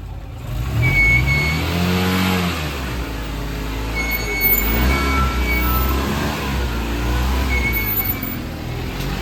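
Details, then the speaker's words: Tata Nano that starts fine but, owner suspects, has a gone clutch plate; pulling away in first gear the engine revs and drones heavily while barely moving, needing full throttle to climb a small culvert. Engine straining on pull-away, clutch slip suspected. "देखा भी कितने जोर लगे। अभी देखो ऐसे आगे start करना है, वो छोटी सी पुलिया है बाहर, उसको क्रॉस करने के लिए भी है ना पूरा खींचना पड़ता है, तब चढ़ती है।"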